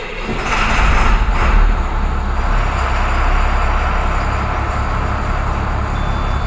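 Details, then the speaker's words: 2006 IC CE300 school bus with DT466e diesel, normal start after wait-to-start light: brief rise as it catches, then a deep steady smooth rumble with no grinding or stumbling. "uh so that's what it should sound like when you're starting"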